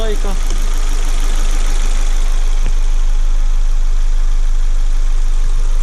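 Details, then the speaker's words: Ford Focus 1.6 after overhaul for an engine knock, new oil and coolant, fully warmed up with fan cycling: steady, even low idle with no knock; normal idle after repair. "вот так вот работает двигатель но завтра я еще на холодную его заведу послушаем Как он работает на холодную"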